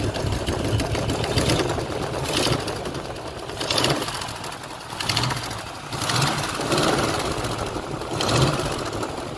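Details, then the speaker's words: 1972 Chevrolet Nova SS clone with a built 355 crate V8 (about 3,000–4,000 miles), heard under the hood at idle: sharp puffing ticks in step with the firing reveal an exhaust header gasket leak. "Next, when we're under the hood, listen for that exhaust header leak I was telling you about. Like I said, the car does include new gaskets if you want to replace those. It's pretty noticeable, so I would."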